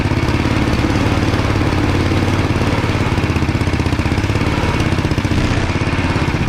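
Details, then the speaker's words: Dingo 420 single-cylinder kart on test ride, chest-mounted camera, exhaust reworked to face rearward; even low thumping at steady throttle, quieter than before, no crackle or knock: normal exhaust note, though chain and axle problems persist. "Exhaust sounds good, not nearly as loud and in your face as the other one, obviously, since it's facing the other direction."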